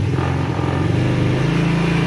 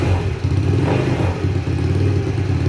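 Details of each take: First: GY6 50cc scooter after carburetor adjustment, held on the brake with the enrichening valve still on: low, even, steady idle with no misses or hunting; normal healthy idle. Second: 50cc GY6 scooter (mini sport bike) just after a new part was installed, carburetor not yet cleaned and dirty: uneven, surging putter that hesitates between throttle blips while cold. Rough cold running, hard starting and idling attributed to the dirty carb.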